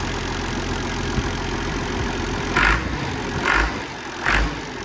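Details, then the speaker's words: Massey Ferguson 1250 tractor, first start after work: steady, even diesel idle with a low rumble and a few light chirps; runs well, with minor fuel and oil leaks noted. "Sounds all right. Runs all right. Can't see any drips."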